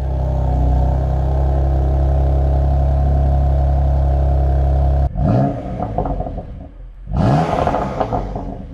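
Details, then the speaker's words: Car on a cold start: loud steady deep drone at raised revs with no knock or miss; a normal cold-start fast idle that returns to the usual sound 1–2 minutes after starting. "I'm talking about colt start, unfortunately 1-2 minutes after starting the engine this sound is back to the way it should be."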